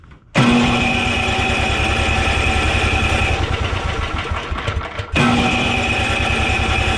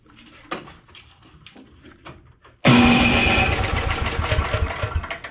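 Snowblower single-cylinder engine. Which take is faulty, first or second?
first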